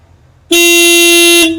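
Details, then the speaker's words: Skoda Fabia Mk1 1.9 PD single horn, pressed while back-probing contacts with multimeter; open circuit on press with brief 2.3 V spike. One clean steady blast about a second, firm mid pitch, no warble or rasp; horn working properly. "I'm pretty sure my multimeter's working perfectly, and as you can hear, the horn's working perfectly as well."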